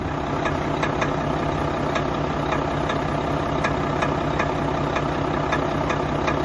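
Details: Volvo FH4 truck with about 100,000 mileage, no fault codes and passing all tests, idling: sharp regular ticking knock about four times a second over a steady diesel idle; engine knock.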